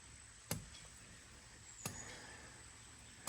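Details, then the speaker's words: Spring house water pump drive line, about 80–85 ft long, heard from its far end: a distant dull thump about every second and a half, steady over quiet outdoor background; normal pump drive running. "this is the drive line it's about uh 80 80 5 ft something like that but you can hear it thumping all the way back up"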